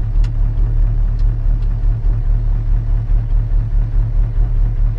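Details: Square-body diesel at idle after new fuel tanks and hoses, switching from left to right tank to test the switcher and gauge: steady even low rumble, no knocks or misses; both pickups work, no leaks.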